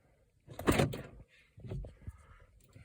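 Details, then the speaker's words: 2008 Pontiac G6 GT 3.5 L with no crank, no start: two short bursts of clunks as door lock actuators fire on their own with the car quiet; owner suspects the body control module. "okay so my door is just locked on their own so as far as of the indication of the body control module"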